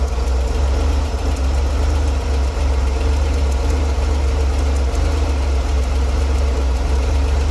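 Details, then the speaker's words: Chevrolet Corvair flat-six idle with small uneven dips every second or two while adjusting distributor timing; ran worse as timing approached spec; clogged carburetor idle circuit starving it at idle. "so as you saw there the closer the mark got it was about here before closer the mark got to the actual where it's supposed to be reading in between yeah the worse the engine ran"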